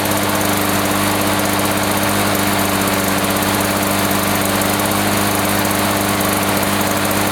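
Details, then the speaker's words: 1980s Lawn-Boy two-stroke mower after cleaning repair, previously wouldn't run after running out of fuel: steady, even high buzz at constant speed about 3480 rpm per tach, no surging, misses or knocks; fine per label, running healthy with choke off. "I run foreign RPM she runs 34.80 which is fine it feels like the throttle is back or at least according to the label"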